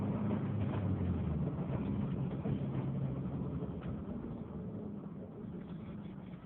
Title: Misfire??